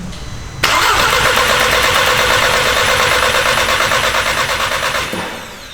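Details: Mk6 VW GTI with a freshly built engine, first start after priming oil, coolant and fuel: short crank, fires cleanly into steady even running with no knocks or misses, then winds down.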